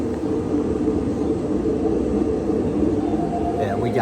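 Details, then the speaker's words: Older Whirlpool Cabrio WTW6200VW0 top-load washer with floating drum and stator drive, before repair: constant deep roar and droning hum as the drum spins in the spin cycle. Worn tub bearings, fixed by replacing bearings, shaft and tub seal. "it might not even get to speed if there if the bearings are that bad it'll probably just throw the UL code or uh RPS code which is like f-51 or f-52"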